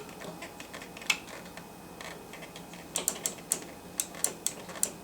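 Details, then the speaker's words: Black & Decker weed wacker trigger switch pressed by hand: crisp, sharp clicks in quick bursts as contacts snap over; switch itself okay, fault is worn plastic part catching on it. "can hear them over wanting to go when I push this button in so it seems like it's the switches okay"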